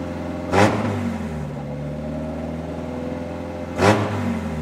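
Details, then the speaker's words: Engine first start on a new 3D-printed individual-throttle-body intake with no idle valve hooked up, O2 sensor warmed first: two sharp throttle blips dropping back to an uneven, wavering idle that won't settle; owner expected poor idle from the missing idle valve. "if it starts at all I know that it's not going to idle very well because there's no idle valve hooked up but um let's let's do it let's see what happens"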